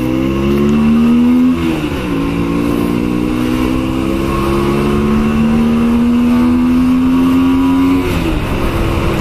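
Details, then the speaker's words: 2000 Honda Shadow 125 on first ride: clean note climbing smoothly through gears with no misses, popping or hesitation; carburettor fuelling good; owner still has a small engine issue to sort. "Si, elle roule bien. Ah, mon carbu va bien."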